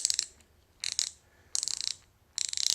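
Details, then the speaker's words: Pittsburg Pro thumbwheel hand ratchet after the dislodged ball was pushed back into place and it was lubed: short bursts of fine, even, light clicking as the wheel spins, smoother and less "machine gun" than before. "sounds a lot better and it's definitely a lot smoother it's not such a machine gun yeah it sounds a lot better with a little bit of Lube in it"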